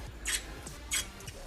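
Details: Truck driveshaft removed from the transfer case and clamped in a vise, flexed by hand: three short, sharp squeaks about every 0.6 seconds from dry, worn u-joint needle bearings; worn u-joint squeak, before replacement.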